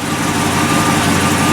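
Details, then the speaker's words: 1955 Chevy pickup started for the first time after a long build, after sitting a while, on its original carburetor, no throttle given: low, steady, even idle with a nice rumble and no misses, knocks or surging; healthy. "Got a nice little rumble to it, nothing crazy. Nothing crazy."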